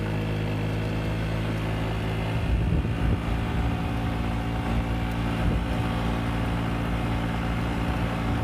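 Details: A Yamaha Vino 50cc scooter with a brand-new Yamaha air filter, ridden on the road and up a hill it previously got stuck on, gives a steady, even engine drone over road noise. It pulls smoothly with no bogging: running healthy.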